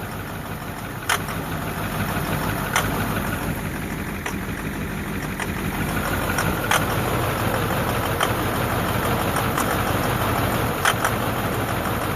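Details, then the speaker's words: 2009 Ford F250 6.4 Powerstroke diesel, cold start: rough idle with uneven knocks and stumbles, loping and skipping, smoke reeking of fuel; misfire traced to faulty number 7 injector, before replacement. "It started loping. See the smoke? That's not good. And the smoke, oh, it just reeks of fuel."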